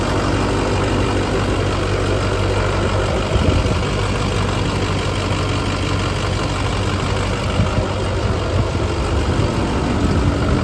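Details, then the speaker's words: LB7 Duramax diesel with S300 turbo at first fire-up after fitting new SNS 100% over injectors, replacing failed ones that rattled badly, fresh oil: steady, deep, even idle with no rattle or miss; runs smoothly. "right before I changed these out the injectors were rattling so bad this sounds so"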